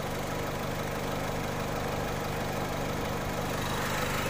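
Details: Mazda MX5 with a sensor simulator feeding a false MAF signal raised to about 1.3 volts: mixture goes massively rich on lambda and O2 readings, idle drops low, loping and stumbling, and the engine nearly stalls.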